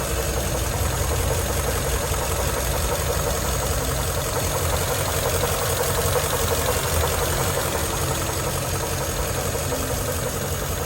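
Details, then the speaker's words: 1941 Ford truck with flathead V8, first start after about six years sitting; steady low rumble with an even beat and no knocking or ticking, throttle blips respond instantly: normal, healthy idle. "I can't I'm impressed with this flathead Ford V8 it runs better than that old 68 Ford sitting out there responsive I'll tell you what you blip the throttle and it's right there"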